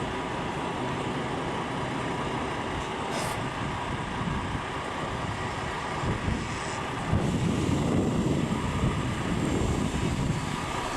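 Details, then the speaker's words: Mazda RX-7 GSL-SE rotary first startup: catches right up and settles into an even, steady idle with a low burble, no knocks or misses; sounds healthy. "Sounds good. Starts right up. It's a big guy."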